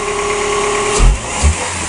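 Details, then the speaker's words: 2003 Chrysler Voyager 2.4 after an intake install, with two small sensors reconnected: a steady, smooth idle with no knocks or misfire, a couple of dull thumps around it; no leaks so far and it sounds healthy. "it helps to have the proper sensors on and it's running we're up and running are we leaking anywhere it's good so far so good"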